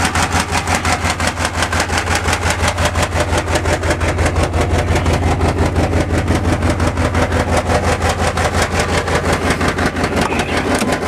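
Loud, raspy V6 cold idle with a hard, slightly choppy pulse and a leaky exhaust; fits a failing injector spider.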